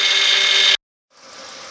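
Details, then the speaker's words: Car started cold after sitting outside at -20°C; a steady high-pitched whine that is milder than before, then drops away once warm, attributed to old power steering fluid that is to be replaced with new fluid. "сейчас заведём машину и посмотрим нет вот сегодня холоднее слышите остался этот звук Ну правда не такой воя"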